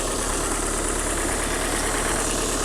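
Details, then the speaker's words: 1990 Dodge Omni, first start after 15 years abandoned in a field with new fuel pump, at idle: fast light top-end ticking over a steady, slightly rough idle, already starting to quiet down; no smoke, not yet at temperature. "Ooh, that tick is starting to quiet down already."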